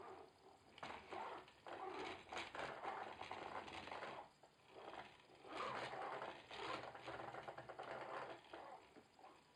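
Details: Logitech Driving Force GT wheel, second unit (first returned for the same noise), game sound off, at maximum force feedback strength: quiet fluttering buzz in uneven bursts, no low thump; something inside seems to be rattling loose, unconfirmed.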